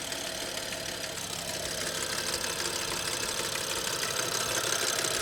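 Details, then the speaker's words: Audi S6 restarted after standing for months, recorded at the front timing case: a fast metallic rattle of about three a second that rises with a little throttle. It was faint at first but became very loud after a motorway drive; the source is unconfirmed. "Also, ich würde sagen, das kommt von hier vorne. Kommt irgendwo hier vorne her."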